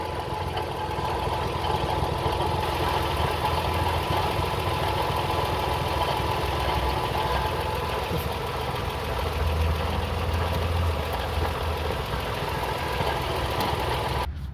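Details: 2004 Toyota Sienna at idle with an antifreeze leak below: light, uneven rattle about three per second over a steady hum, seemingly from the front timing-belt area. Cause suspected, not confirmed; the timing belt later snapped while driving.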